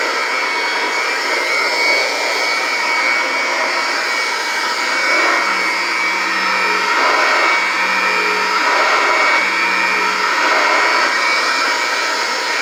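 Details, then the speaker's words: Vintage Kirby 505 vacuum with original motor and newer replacement fan, steady high buzzy whine, no grinding or surging, runs great; normal motor running. "i love the sound of these old motors you can tell they're original they almost have a buzzing kind of sound to them they're pretty neat really"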